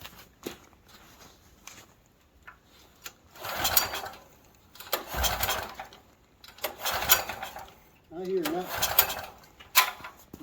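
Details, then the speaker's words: Stanley 8000 W generator that sat unused four years, cold weather, starting fluid sprayed into the throat: repeated pull-start bursts of a couple of seconds with no firing or catch; cranks but won't start, cause unknown. "usually i would think if you spray fuel right inside the throat it would pop so"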